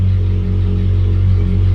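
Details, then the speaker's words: Ferrari 458 that had surged and idled as high as 7,000 rpm, possibly from dirt on the MAP sensor: deep, steady idle with no hunting that returns straight to idle after a throttle blip. "seems to be happy if i give a quick tap on the gas comes right back to idle i think we maybe fixed it"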